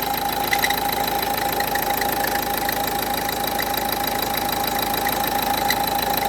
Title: Strange noise Renault Duster 1,5dci, alternator pulley replacement. Înlocuire fulie alternator.